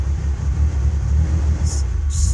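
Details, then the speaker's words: 1994 Ford Ranger 4.0 L OHV, just after easy start, fuel pressure normal, MAF, plugs and TPS replaced, IAC cleaned, plugs very rich: deep lumpy idle stumbling and surging, rpm hunting; owner suspects ignition cutting out; intermittent misfire, cause unconfirmed. "misfiring smoothes out all over the place any help Thanks"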